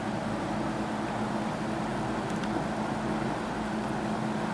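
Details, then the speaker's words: Wesston all-plastic box fan, old and dirty, on high: low, steady motor hum and soft air rush, sluggish below full speed as old, stiff bearing oil slowly warms up; the owner expects it to pick up speed. "Oh, the oil's starting to warm up. It'll pick up speed pretty soon here."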